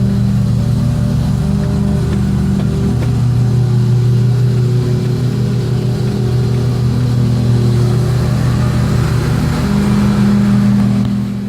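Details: Car raised off the ground with the wheel spinning: a steady low hum with a slow wavering whoo-whoo drone from a worn wheel bearing.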